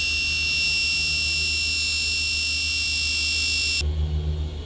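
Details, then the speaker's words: Jaecoo J7 passenger seat ventilation fan: steady high-pitched squeal while running, stopping when the fan stops; a child seat-back pocket hook was found jammed into the fan under the seat. "Jayco J7, заявка клиента, что когда включаешь вентиляцию пассажирского сидения, происходит визг. Включаем сиденье, включаем вентиляцию. О, действительно визг есть."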